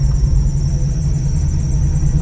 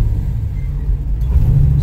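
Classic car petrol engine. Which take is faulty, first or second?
first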